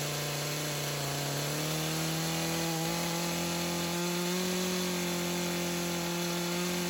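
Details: Craftsman chainsaw that sat for years, rerun days later after cool-down: crisp, even two-stroke buzz climbing smoothly and holding steady, no stumbling or surging. Carb acting more natural; tip test shows no head gasket or crank seal leak.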